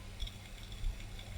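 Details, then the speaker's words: 3.2 GB hard drive on a retro PC (M726 V3.4 motherboard) at power-on: quiet irregular clicks and ticks over a low hum. The drive sounds unhealthy but is eventually detected. "the hard drive can you hear it hmm doesn't sound happy help okay so the hard drive does not sound happy but this is obviously working"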